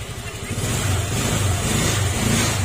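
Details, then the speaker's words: Honda Click scooter after repair of lost compression (wrong valve replaced, new valve seals, valve clearance adjusted). Clean, even engine note climbing and holding steady under throttle, no knocks or misses; normal revving. "Okay, ito mga sir, natapos na rin natin at paparinig ko muna sa inyo yung tunog niya ngayon. Yan, maandak na yung mga sir."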